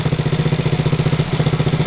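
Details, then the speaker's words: Coleman CT200U mini bike with swapped-in 110cc ATV engine, about 3-4 hours use, long stored: even thump about eleven times a second, no misses. Normal idle after leftover oil cleared from the piston; valves may need adjusting. "She idles and runs nice. I had to get all that oil that was left over on the piston out."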